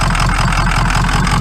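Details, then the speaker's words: Ford Powerstroke diesel pickup idling with a lumpy, uneven low throb stumbling in a regular beat; suspected weak or dead cylinder, to be checked by cranking with the engine shut off. "definitely got a weak weak cylinder that hole we should shut it off and just crank it see if it sounds like a dead one"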